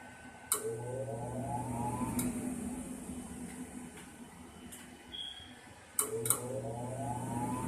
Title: Furnace is making this noise instead of turning on